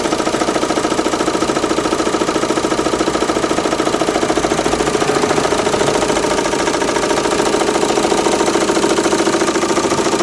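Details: Renault Megane 2 1.9 dCi diesel: sharp, very regular knock, roughly three a second, at idle that disappears when revs rise, with slight vibration; source unknown.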